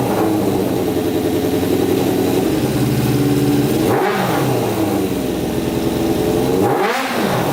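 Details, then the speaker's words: Custom Yamaha Banshee with a swapped 600cc Katana engine, after a stage 4 jet kit and a fix for a sticking throttle, choke off. Steady, consistent idle with no rev-up at start, then two clean quick blips with no stumble. Pilot jets working, revs out fully. "all right that to me sounds a lot better doesn't rev up at start up it uh stays nice and consistent throughout so obviously the pilot jets are working um it revs out completely so you can rev it to the moon"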